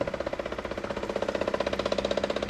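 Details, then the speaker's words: 1957 Chevy Bel Air, warmed-over 327 V8 with FiTech EFI, cold icy garage, fuel gauge reading full: fast steady pump clacking about eleven per second with buzz, no fuel pressure at loosened fitting; fuel pump running dry, tank out of fuel. "So I'm thinking it's got a fuel pressure issue. You can hear the pump clacking away, and this would shoot up."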